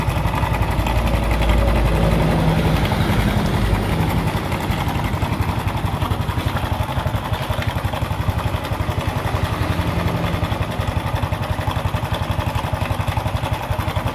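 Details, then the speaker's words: Honda Revo Fi (injection) idling rough: coarse fast metallic rattle about three ticks a second from worn cam chain, quieter when throttle opened and noisier when throttle closed. "Nah jadi kalau rantai keteng itu kena itu suaranya itu begitu kita akan gas itu agak berkurang ya begitu turun gas itu suaranya makin berisik"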